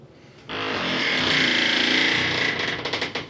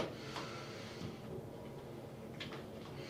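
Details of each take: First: Glass shower door swinging gives two long, loud creaking squeaks from a dry single full-length hinge, before lubrication with AIM penetrating lubricant. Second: Glass shower door after AIM lubricant applied to top and bottom of the hinge: swings on its own with only faint soft clicks, the previous squeak and creak gone.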